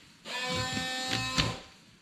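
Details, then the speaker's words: 24-year-old GMC Sierra after washer pump replacement: a buzzy, steady whine starts at once, holds an even pitch for about 1.5 seconds, then stops. The new pump works, better than before. "It's working. It's better than it was."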